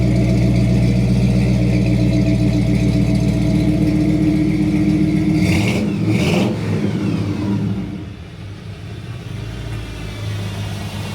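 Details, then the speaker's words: 1955 Ford F100 pickup with 302 V8 on test drive: deep even burble plus faint light whine from the gear-drive timing set, normal running. "Now, if you hear that little bit of whining sound, this thing's got a gear drive on the timing set. So a lot of guys like to hear it. They think it sounds like a supercharger, I guess."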